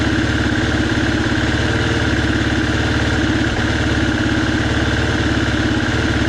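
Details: 2019 Husqvarna FE350, stone cold after long storage and an oil change, idles unevenly, missing and stumbling, then dies within a minute; it also bogs when ridden; cause unconfirmed.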